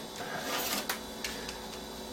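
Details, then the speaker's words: Compaq Proline 4/33 486 PC, unpowered over 10 years, booting a known-good DOS 5 floppy: quiet whirring with sharp clacks and seeks that never settle; the floppy drive fails to read the disk. "And hopefully, fingers crossed, if that floppy drive does work, which I'm not sure, that doesn't sound very happy."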